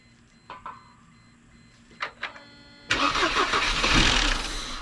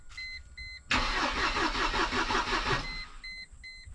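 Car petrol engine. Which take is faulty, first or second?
first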